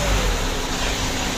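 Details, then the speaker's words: 2012 Mitsubishi Pajero Sport Dakar diesel revved after turbo removal, cleaning and refit: steady, even roar with no rattle; turbo previously made a rough chattering noise when revved, now quiet and healthy. "suara turbonya sudah tidak Berisik lagi ya gitu Yang Lalu kalau dikasih itu suaranya kemrecek gitu loh di turbonya ya Jadi untuk suara turunnya sudah bagus sekali"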